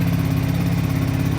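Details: Kawasaki KFX700 ATV just fired up after fuel priming with the cover off runs a fast, steady putter with light clacking on the idle; they wonder about the head gasket but doubt it, so the cause is unclear.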